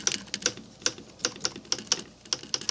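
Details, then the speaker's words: Sharp, bright clicks as keys of a piano action, removed from the piano, are pressed one after another; the cause is unknown, possibly between the catcher and backcheck, and a technician says clicking outside the piano may not indicate a problem. "so I'm having issues with some clicking if you hear that and then you hear how that's more dampened but you hear a clicking"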